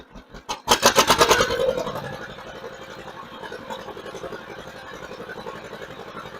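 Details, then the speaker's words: 1958 John Deere 530 with a freshly rebuilt carburetor, run through the throttle range. It picks up fast with quick, even pulses, then settles back to a steady, slower beat: clean throttle response both ways, normal. "Bring the throttle on back. I think we're going to be happy with that right there."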